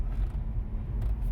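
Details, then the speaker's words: 2013/2014 Chevy Impala LT after repairing broken driver-side front wheel speed sensor harness (previous ABS grinding on left turns): driving and turning, only low even road rumble, no grinding, no traction control light; seems okay. "So we're just driving it around to see if it's all good. But the way it sounds so far, it seems oka"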